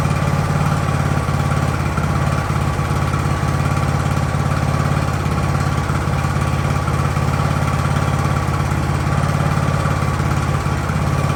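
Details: Ariens hydrostatic-drive riding mower, sat at least two years, idling in neutral in a cramped shop at about 30 degrees: steady, even putter with a constant low thrum, no hunting or dying out; normal idle.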